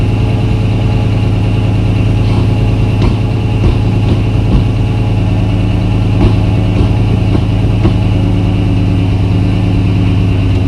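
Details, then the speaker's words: Engine first start after long sitting, batteries hooked up, fuel system on with fuel pressure, transmission fluid topped: steady, even idle with a smooth low drone, no knocks or misses; sounds healthy. "okay well that sounds healthy sounds healthy"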